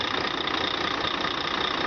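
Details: 2007 Volvo VNL64T780 with Volvo VED12 465 hp diesel: an even, steady idle clatter with a smooth rhythm and no knocks or skips. No service lights are on; a healthy idle.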